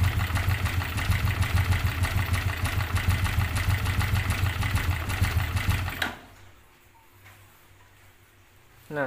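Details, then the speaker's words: Restored Yamaha Jupiter Z1 that runs rough and lacks power, engine recently disassembled: a fast uneven clattering, like loose marbles in the block, when the throttle is opened; loose piston and thin clutch plates suspected, not confirmed. "kalau ditarik gas itu suara ada kayak suara kelereng ada kayak suara kelereng kocak di dalam sini di dalam blok sini"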